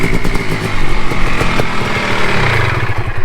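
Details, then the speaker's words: 2017 Kawasaki KX 500 two-stroke, first ride after rebuild on a cold day: loud, crisp crackle revving freely and pulling hard with no misfires or mechanical clatter; runs really good, normal running. "but dude it runs good it runs really good sounds really really good"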